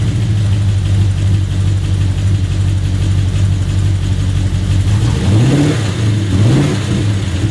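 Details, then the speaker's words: Ford AU II LTD 5.0L V8, first start after rebuild with Tickford GT40P heads and T3 cam, stock tune. The engine previously fired then stalled, ran lean on the driver's bank, and overheated. With the MAF unplugged it idles low and lumpy and revs twice. Owner suspects a faulty MAF. "So what I've done is I actually just, out of curiosity, disconnected the MAF. Have a listen to this."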